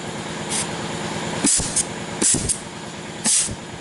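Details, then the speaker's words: Rebuilt GM 6L80E/6L90E transmission that had lots of metal, air check before valve body install: sharp compressed-air hiss bursts each ending in soft thump as clutch pack applies; applying normally. "okay so so you can hear that applying and waiting to that air conditioning two three careful okay it went off"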